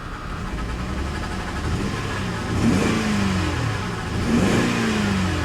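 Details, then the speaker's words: Salvage-auction Corvette convertible with some miles and a traction control warning, revved and put in gear: uneven revs rising and sagging, stumbling and trying to die. Rough running and stalling from a bad misfire; owner thinks maybe a tune-up. "that misfire is pretty rough though put it in gear goes backwards it goes forwards she's trying to die"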